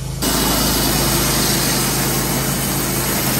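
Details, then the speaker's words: Wood-Mizer LT15/LT40 sawmill: a running drone with a faint high squeak and dry rough note. Owner is 90–95% sure the idler-side wheel bearing, a Chinese bearing, is failing, in its first stages with vibration and squeaking. "this is in the first stages of it though it's just got a vibration to it and you can hear like the baron just squeaking like it ain't got no"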